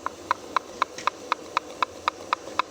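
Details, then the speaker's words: GAZel EvoTech 2.7 engine with knocking complaint, stopped and not yet dismantled: sharp metallic clicks about four a second as the loose camshaft gear is rocked by hand; excessive camshaft gear play. "Посмотрите, шестерня распредвала. Вот она болтается вся. Мы ещё здесь ничего не откручивали, всё на месте."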